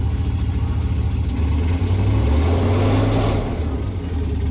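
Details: 1995 Jeep Grand Cherokee ZJ V8 after replacing the crankshaft position sensor with a Mopar unit: pulls smoothly under light throttle while rolling, steady low rumble with no stumble or hesitation, though idle still not great.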